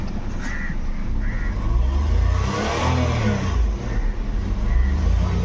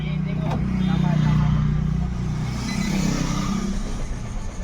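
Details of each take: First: Nissan Micra petrol, automatic, complaint of crank-no-start and no rev pickup, after fuel pump assembly replacement; check light on, fuel low; engine picks up cleanly on blips and settles without stumble, misfire or knock; normal revving. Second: Nissan Micra, automatic, petrol: the starter cranks steadily with a whir but the engine won't start. When it does start it won't rev, and the fuel gauge light blinks. The fuel pump is faulty and its assembly is replaced.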